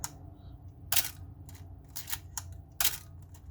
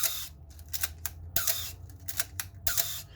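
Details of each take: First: Working Canon AE-1 SLR used as a reference: three crisp, snappy shutter clacks with lighter clicks between, no squeak or drag, unlike the squeaking, slow-shutter Canon compared to it. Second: Canon AE-1 Program film SLR fired several times: each release has a sharp clack with a short falling squeak trailing it, the shutter moving slowly; common shutter squeak in old Canon SLRs.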